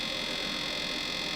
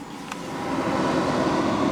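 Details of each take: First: Pyle-Pro PTA1000 1000 W two-channel DJ amplifier, new unit: a steady whirring hiss with a faint scraping edge as the internal cooling fan blade contacts something inside the amp. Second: Pyle-Pro PTA1000 1000W DJ amplifier, microphone at front: soft steady rush of air from cooling fan, no ticking, rubbing or whine; normal fan airflow.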